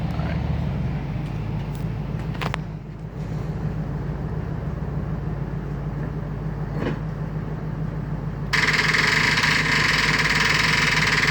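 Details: Freshly rebuilt engine: the starter turns it over at a steady, even pace, about three beats a second, but it never fires. Smoke was seen coming from the starter area; cause unconfirmed.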